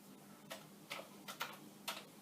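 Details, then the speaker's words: Commodore 1541 disk drive, well used, no disk inserted, directory load command sent: about five sharp uneven clicks over a quiet hum as the drive head bangs against its stop. "I just asked it to load the directory there is no director of course I think I can induce a head banging"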